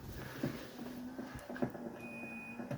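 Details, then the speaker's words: 1983 Mercedes 300CD Becker radio power antenna, tested before refitting ashtray: faint steady motor whir with light clicks as mast moves smoothly, no grinding or stalling; raises with radio on, retracts when off, working properly. "before I install the ashtray I want to check the antenna operation all right the antenna is correctly going up and then if we turn off the radio"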